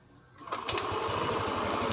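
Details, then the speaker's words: Yamaha NMAX V3 155 scooter with 9,500 km on the odometer, after repair of a no-start with a burnt wire, now bypassed with a long wire; starts promptly, even idle, no check engine light. "Walang check engine. Umaandar."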